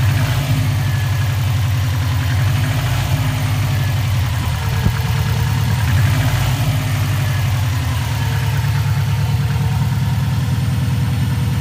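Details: Warm 2004 Subaru WRX stage 2 flat-four idling, suspected piston slap (150 psi compression, 5-10% leakdown, burns no oil): sharp, rapid ticking in time with the engine, actually an exhaust leak from a cracked up-pipe flange.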